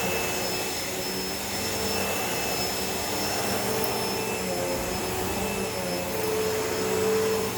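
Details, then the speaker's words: Hoover Elite Rewind upright vacuum after a belt replacement (style 7910 belt), test run: even, smooth motor roar with a steady high hum, no knocking, rubbing or belt slap; normal running. "we're gonna go ahead and pull the cord out and do a small little test on the little test run to make sure everything is spinning the way it should"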